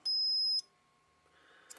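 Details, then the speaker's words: Cobra 29LTD CB radio after short-circuit repair (connector replaced): multimeter continuity across rear power connector gives one short beep that stops at once, just the capacitor charging/discharging; no short, safe to power up. "As you can see, there's no short. So turn the probes around, we get a short little burp, but that's the capacitor charging or discharging."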